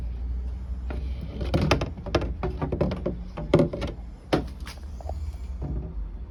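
Uneven heavy thumps and clunks, roughly one or two a second, over a low running rumble; the source of the knocking is unknown.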